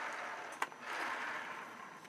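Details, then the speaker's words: Model railway wagon whose snapped bogie lugs were glued too far back: thin steady scraping hiss with light clicks as the bogie grinds on the rails. "You can hear it grinding on the rails, as it were. Either way, it's not good."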